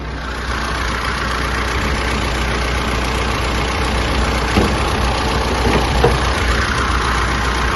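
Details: 2012 Mitsubishi L200 Triton GL, engine rebuilt 2 years and 100,000+ km earlier, after replacing the transfer chain, rear driveshaft and 4x4 sensor: even clatter at settled idle, speed constant, no knocks or rattles. Healthy idle.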